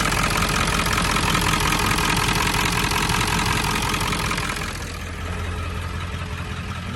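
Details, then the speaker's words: 7.3 Powerstroke diesel warming at idle after IPR replacement: an even clatter at about 160 a minute with no misses or stumbles, running smoother and quieter. IPR is at 19.5% and falling, with blue smoke while cold. "But wow, I mean, it seems to be running a lot smoother, honestly. A lot quieter, and but the IPR percentage is going down slowly. Wow. It's at 19.5%."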